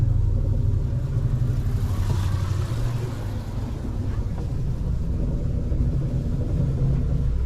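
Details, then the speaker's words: Boat generator running, quiet outside but steady deep droning vibration heard inside boat, no knocks; vibration transmitted into hull, owner considers rubber screens. "That's very quiet outside, but listen to the vibration of it."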